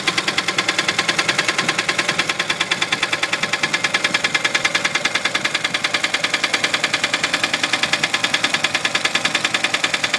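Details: 1966 Studebaker engine idling with a steady, sharp knock repeating about three times a second: engine knock at idle.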